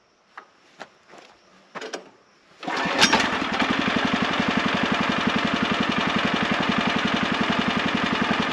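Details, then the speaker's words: Sawmill engine started to warm up briefly before an oil change: a few light clicks, then it catches within seconds and settles into a steady, even putter; starts and idles normally. "well that's pretty good all right we'll give it uh a few minutes to run not long maybe 5 minutes"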